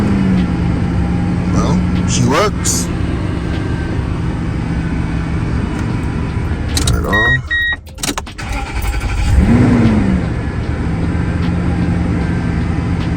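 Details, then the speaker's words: 2003–2006 Toyota Tundra after starter replacement: short crank, then the engine catches with a quick rise and settles to a steady idle; new starter and start sound healthy. "Everything is bolted back together, so I'm gonna start it up now and see what's gonna happen. Yeah, should just start right up."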